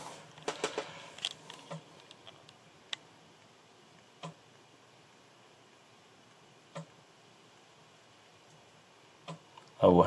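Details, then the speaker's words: Large Amiga unit after about ten years in storage, screen flashing at each attempt: sparse, irregular light ticks from the floppy drive a few seconds apart; disk never loads, unit may have issues, cause not yet known. "okay right now this one may have issues so I'm gonna pack it back up and get something else plug do"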